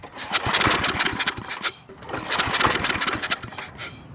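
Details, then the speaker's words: Briggs & Stratton industrial small engine, very hard to start, after carburetor reassembly: uneven sputtering bursts that catch, die away, then pick up again; owner suspects the fuel pump isn't working and fuel isn't reaching the carburetor. "it's trying hard [Music] all right running i'm not sure the stop field pump is working y'all our fuel is not really getting to the carburetor like it should so this that's the problem"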